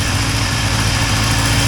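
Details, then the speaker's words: 1980 Triumph TR7 petrol engine just reassembled and back in the car: idling smoothly with a steady low hum and no horrible knocking, running better than ever; an exhaust leak is noted on one side. "that that's running better than it's ever run before though and I don't hear any horrible knocking over the"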